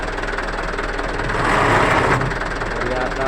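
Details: Mitsubishi Canter truck, manual transmission, tested lifted before disassembly: rough, uneven growl over the running engine swelling midway; likely gearbox bearing damage causing coarse grinding noise.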